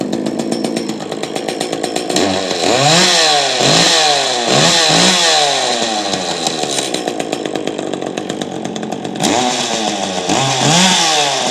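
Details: Free Echo chainsaw started with no repair, just fuel checked, primer bulb pumped and choked: crisp high buzz climbing and falling cleanly with repeated throttle blips; runs normally.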